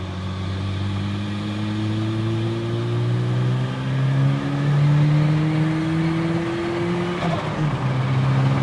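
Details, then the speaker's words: Turbo Toyota pickup after repairs from drag strip damage (cracked manifold, failed spark plug), on a 9 psi tune: it pulls smoothly under load and makes proper boost, transmission sounds better, no breaking up, so the spark plug issue is resolved. "Boost look at that not only does the transmission sound better it makes the proper amount of boost but it's not breaking up under load which tells me that the spark plug issue has been resolved"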